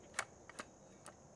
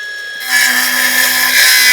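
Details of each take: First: Milwaukee M18 Fuel circular saw (2834-20), quiet room: three sharp, distinct clicks about half a second apart as the bevel snaps into its aggressive positive stops; detents working properly, normal. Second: New Milwaukee M12 Fuel 5-inch cordless circular saw in thick stock: high whine sags steadily in pitch, slowing as the blade binds; bogging, lacks power for this material.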